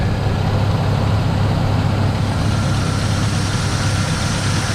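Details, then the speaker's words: Car with a DIY cold air intake just installed, no air filter yet fitted: a steady idle with a louder, hollow intake rush and a slight howl. "I did notice a different noise. It has like a louder intake noise, and it has a little howl,"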